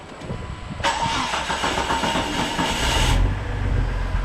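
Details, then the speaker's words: Jeep Cherokee with the old crank sensor refitted after new ones failed, codes cleared and none stored: the starter spins for a few seconds before it catches and settles to a low idle. Long crank before starting; runs better, cause unclear. "Still didn't like it. It's really not starting up on a dime. It's running better, but I don't know."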